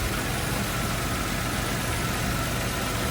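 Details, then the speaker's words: Nissan Cima Y33 VQ30DET after alternator replacement (old one made a high-pitched noise), lights on for load, charging 14.55 V: smooth, steady idle with no whine, knock or hunting; normal idle under electrical load. "Yep. Sounds really healthy. It sounds normal."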